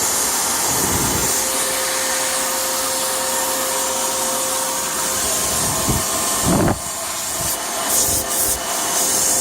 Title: 2004 BMW X3 3.0i M54 air leak/hissing sound